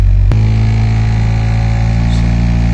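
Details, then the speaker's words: Peugeot car idling with AC on and a loud, steady whirring drone that grows with blower speed, traced to the AC blower fan. Owner suspects a clogged AC filter or husk debris inside the fan. "बहुत ज्यादा आवाज है। मैं थोड़ा सा इसका power fan का speed बढ़ाता हूं। और देख सकते हैं कितना आवाज कर रहा है। बहुत ज्यादा यानी कि यह आवाज गर फैन का है।"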